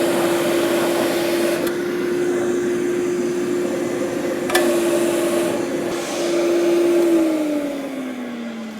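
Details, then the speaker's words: Old rusty Canadian Blower and Forge Company electric blower for a side blast forge, air gate open: even steady whirring that holds pitch then winds down smoothly, no rubbing; normal blower running, far more air than previous fan. "Listen to that baby go. That is so good."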